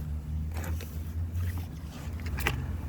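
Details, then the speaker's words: Mercedes W108 fuel pump hooked straight to a battery with alligator clips, its fuse pulled, during a fuel line flush of a dried-up system: low steady electric hum under handling clatter and scrapes, pump running normally and sucking fuel. "You can hear the pump is running already. So we should be sucking fuel here."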